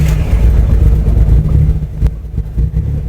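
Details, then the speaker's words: Abandoned Mitsubishi Eclipse project running E85, started in neutral: deep, slightly lumpy rumble with wavering revs just after a cold start; nothing wrong, it only needs to warm up. "It just needs to get a little warmed up."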